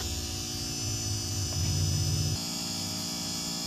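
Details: USB board with LA4440 IC amplifier: constant low-pitched electrical hum with a buzzy edge and no signal playing; hum from a bad earth connection on the amp board.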